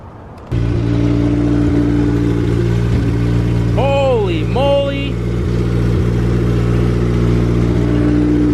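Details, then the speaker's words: Honda EJ2 with B20Z1 swap and PR4/P75 ECU, first start without exhaust fitted: engine catches and settles to a steady, even idle, then two clean throttle blips climb and fall back smoothly; healthy running. "all right guys so the car is now on you guys just saw it with us for the first time and it sounds good hopefully it sounds better with the exhaust"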